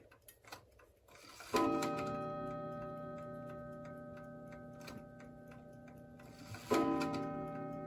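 Steady ticking, then one clear bell strike at the hour that rings out and fades, and nothing more; the strike count is correct.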